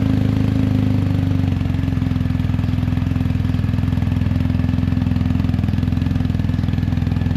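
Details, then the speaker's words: BMW R1250GS Adventure after the shorted exhaust-valve servo was replaced with a Servo Buddy, the cables removed and the flap left wide open, in neutral: even boxer idle, a bit louder than before. Normal idle with the flap open. "neutral screen does sound a little bit louder."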